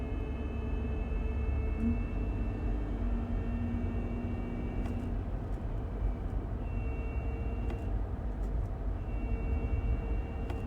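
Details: 2017 Toyota Highlander with UA80F 8-speed automatic: a thin high whine comes and goes under road rumble while driving through several gears and ranges; owner suspects the final drive, and the reported fix is transmission replacement.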